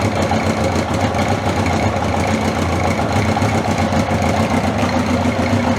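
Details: 1981/82 Honda CB750 K four-cylinder motorcycle restarted after battery refit, about two hours after the last run (sort of a cold start), fuel on; smooth, steady idle with no misses or stumbling, background chatter, no oil leaks.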